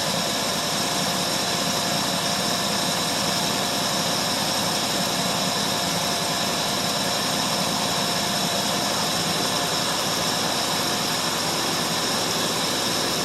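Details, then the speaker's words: 1968 Ford LTD 390 FE two-barrel V8, about three years unstarted, running on gas poured in carburetor bowl: smooth even idle hum with no knocks, misses or surging. Normal idle; a pretty good runner. "Well, the thing is a pretty good runner though."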